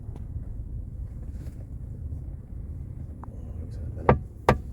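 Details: Mercedes-Benz E-Class W212 with panoramic sunroof, driven over a speed bump: two sharp cracking knocks from the roof over road rumble. Creak/knock noise from the sunroof, to be traced by removing the headliner and checking the sunroof rail and frame interference.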